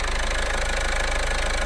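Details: Car engine idling after redoing a dealer's poor job, with new timing belt and water pump fitted, top cover not yet on: smooth, even low hum with no ticks, knocks or belt chirp; normal healthy idle.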